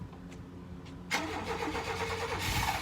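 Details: Chevy K1500 truck that sat for a few years, cranked on a new battery with starting fluid sprayed in: it briefly tries to catch, then fades. No fuel is reaching the engine.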